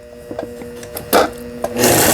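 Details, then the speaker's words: Brother Libero sewing machine, about 25 years old, after burnt motor replaced: a few light clicks, then even, steady zigzag stitching whirr with no knocks or grinding; normal stitching shows repair succeeded. "예, 지그잭 정상적으로 박음질이 되면은 수리가 잘 된 겁니다."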